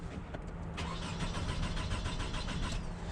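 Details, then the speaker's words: 2002-2006 Toyota 2.4 crank no-start: starter spins engine at even, healthy pace, about three and a half beats per second, never fires; mechanic suspects fuel pump, codes show misfire and crankshaft position sensor. "here's what it sounds like trying to start makes me think it's a fuel pump"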